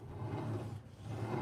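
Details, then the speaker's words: Sole F85 treadmill, motor taken out of the equation by rolling the belt off, rear roller hand-spun: low, uneven rumbling growl swelling and fading as it turns, a lot of noise from a bad rear roller bearing; roller to be removed. "now if we give a spin oo definitely a lot of noise coming from that rear roller as well"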